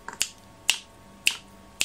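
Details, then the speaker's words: Chinese diesel heater on a bench test with the LCD controller, during the startup sequence before the flame tube fires. Sharp, even clicks about twice a second from the fuel dosing pump ticking normally. "to start with the fuel pump does not kick in straight away you've got a start-up sequence to go through"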